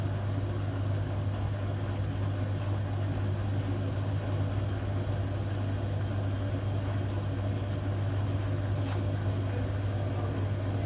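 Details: Hotpoint Aquarius WMA58 washing machine on test spin: heavy, steady roaring drone at high spin from shot drum bearings; machine was scrapped because of them.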